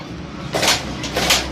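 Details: Motorcycle rocked by hand as if over bumps or rough ground: sharp metallic clacks in quick bursts from the main (centre) stand striking the silencer.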